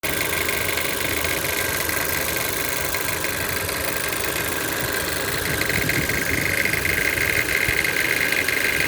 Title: CHR Engine Rattling Noise (1.2 Turbo)